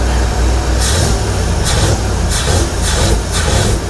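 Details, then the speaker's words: 1970 Ford F250 dually, 302 V8, after a top-end rebuild, idling: a deep idle that swells and sags with a surging hiss. The owner suspects a miss from the spark plug wires, and the timing needs further adjustment; not confirmed. "It kind of levels out then it los a little bit. I don't know if I got a miss. I might have to check these spark plug wires."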